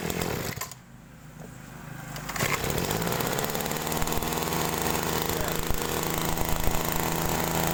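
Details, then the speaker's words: Small two-stroke sprayer engine during carburetor adjustment, high-speed mixture screw just set; brief dip then steady full high-speed buzz without screaming; top end correctly tuned, not too lean to avoid overheating while spraying. "gas menurut saya sebentar menurut saya ini di RPM atasnya itu sudah cukup ya teman-teman Jadi enggak usah terlalu teriak ee sampai kering sekali itu nanti menyebabkan mesin panas ketika kita digunakan untuk menspray"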